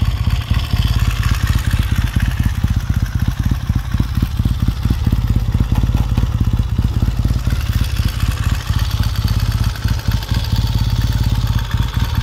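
Even, steady twin-cylinder idle with a regular low thump and no misses or mechanical clatter; bike runs healthy from cold.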